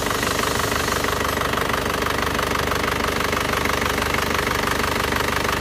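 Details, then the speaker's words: Isuzu Panther diesel after nozzle setting and servicing: steady, even, fast idle clatter, previously limping and rough, now clear and smooth; custom cast liner fitted to fix blow-by, no rough sound. "suaranya halus kan kemarin masih pincang pincang terus ini sudah kita Setelkan noselnya kita serviskan noselnya sekarang suaranya sudah menjadi bening dan halus seperti ini"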